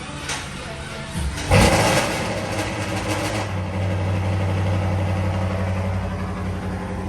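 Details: LS3 Camaro V8, first start after stuck lifter removed and new cam and lifters fitted (previously backfiring through intake and ticking): brief crank, catches with a blip, settles to steady even idle with no ticking; normal.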